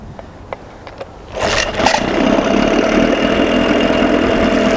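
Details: 1987 Johnson 6 hp outboard after carburetor linkage fix and gearcase oil change; light ticks then catches into steady even idle, no misses; sounds good but runs too cold, with a noise owner suspects is something loose.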